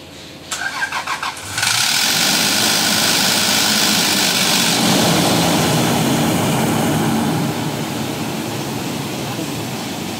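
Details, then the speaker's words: First start of a freshly overhauled, rebuilt V6 engine: brief cranking chuffs to pump up oil and fuel, then it catches into a loud, even fast idle with no knocks or misses; clean start. "Lakas ng kanya. Ingay niya sa unang start. So yan mga kaibigan yung unang andar ng ating overhaul."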